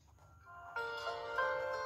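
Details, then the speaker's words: Dell Inspiron Mini 1012 notebook that had no sound, faulty speaker replaced (not a software or driver fault), tested after booting into Windows: music plays clearly and steadily with no crackle, buzz or dropouts; speaker working normally again. "jadi kita coba tes dulu apakah sudah berfungsi [Musik] untuk ke soalnya suaranya pakai sudah normal kembali ngeceknya"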